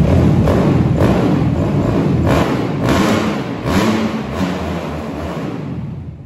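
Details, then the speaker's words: Suzuki RMZ 250 dirt bike with Athena 290 big bore kit fires right up: loud, crisp single-cylinder bark, steady low thump, revs cleanly then fades. Strong, healthy normal running. "Fires right up and rips, m"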